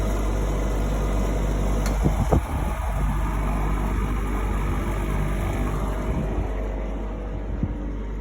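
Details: GE AHEK08ACW1 air conditioner, about three weeks old, that had been kicking off and beeping; after bypassing the mode circuitry with four wires, a low steady hum with even airflow rush and a couple of brief bumps, running continuously and normally.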